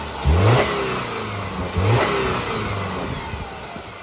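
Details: 2010 Subaru Forester AWD, one owner, 83,000 miles, mic over the engine: two quick throttle blips rise and fall smoothly with no knock, miss or rattle. A healthy flat-four.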